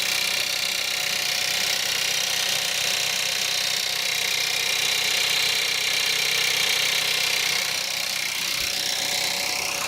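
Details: Cold start at -5 °C of a Skoda Octavia 1.4 TSI 150 hp petrol turbo, idling with a fast, dry diesel-like clatter and rattle.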